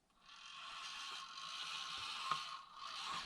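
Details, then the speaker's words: Micro brushed crawler with old AS12/6RW versus new MBR AS14/8RW Easy ESC, both on mid speed, 18 kHz PWM: soft gear rustle and drivetrain scraping, no high-pitched whine; quiet, smooth drive. "Yes. super smooth and well I can tell you now it's smoother or not maybe it's really smoother it's four time the resolution is four times as good both are of course"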